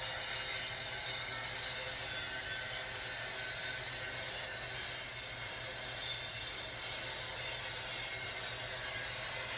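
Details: Train rolling through Bellingham: a high, piercing screech sustained over the rumble of rolling wagons as it passes; wheel squeal against the rail.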